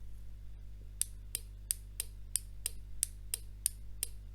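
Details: Arduino-driven relay switching with the DC motor disconnected; crisp sharp clicks about three a second over a faint low hum, the relay contacts switching cleanly and working normally.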